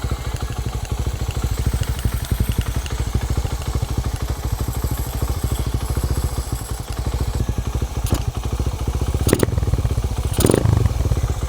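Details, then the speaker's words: Motorcycle "Victoria" now running again with stock Tsukigi pipe: steady deep even exhaust pulses, no knocks or misses, a few clatters near the end; normal healthy running. "Maandar na siya ngayon."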